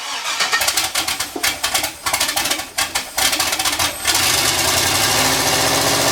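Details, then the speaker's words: LS V8 turbo Miata kart on a partly finished tune: uneven cranking chugs for about four seconds, then a busy, unsettled idle, rough from the unfinished tune. "cool it runs so it's a few days later Cory stop by loaded up the tune it sort of works didn't sort of work"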